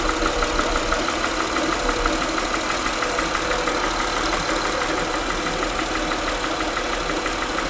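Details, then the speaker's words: Honda Pilot at idle, mic held close: light regular knock about three per second; pulse-sensor scope capture times it to cylinder 6 exhaust valve closing/intake opening, noise persists with cylinders unplugged; suspected valve lash needing adjustment, not confirmed. "so here we are at a honda pilot you probably hear a little bit of that knocking let's see if i bring my microphone a little closer but with this little shop main pole sensor we're gonna go ahead and see if we can't figure out where that noise is coming from"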